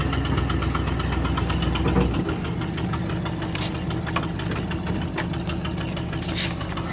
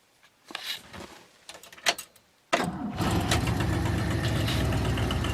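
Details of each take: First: 1978 Ford LTD V8: uneven loping idle with a missing pulse, running on only seven cylinders yet still pulling well; misfire. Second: 1978 Ford LTD before starter inspection, started cold (owner says warm starts drag the starter): brief cranking, then catches straight away and settles into a steady, even idle; healthy cold start.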